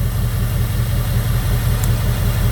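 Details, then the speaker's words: 2002 Jeep Grand Cherokee 4.7 HO V8 with coil melting and misfire problem, idling with coil 3 unplugged: low, lumpy, uneven idle with no RPM change, cylinder 3 dead, misfire audible in the exhaust. "Unplug coil 3, nothing. No change in outruns. Coil 3 seems to be dead. So, and you can hear it in the exhaust. You can hear that miss."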